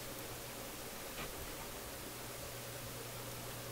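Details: Philips console stereo tube receiver: constant soft hiss with a low hum underneath that does not change when an IF strip tube is pulled, so the pops and static come from another stage.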